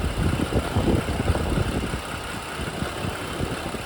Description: I'm always keeping an ear out for timing chain and other sounds.